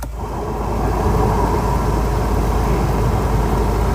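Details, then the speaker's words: Volvo 740 after cooling system overhaul with new radiator, coolant refilled and air bled: low, steady, even rumble with no knocks, ticks or hunting; engine idling smoothly once warmed up. "That sounds a lot better. Let it warm up and top it up afterwards."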